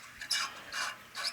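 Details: Old Acme fan bearing shaft assembly, removed and turned by hand: three short gritty scraping bursts, rough rather than smooth; the bearing is worn.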